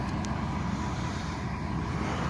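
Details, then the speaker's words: 1997 Chevy Tahoe 5.7 Vortec V8 after fuel pump replacement, cold start outdoors at about -10 degrees: steady even low rumble with no knocks or misses while warming up; revs up nicely, normal cold idle. "so after James in the fuel pump there's no issues with that it revs up real nice I'll let it warm up here for a little while"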